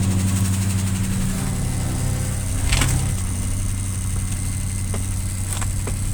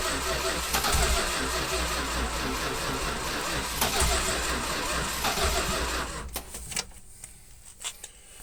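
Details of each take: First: 1967 Plymouth Fury, first start after sitting 42 years: deep steady rumble at fast idle with sharp clicks, smoking and leaking fuel; high idle and choke working, engine keeps running on its own. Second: 1967 Plymouth Fury barn find sat 42 years, jump box, gasoline poured down carburetor: fires quickly, runs roughly about six seconds, then dies; won't keep running on its own.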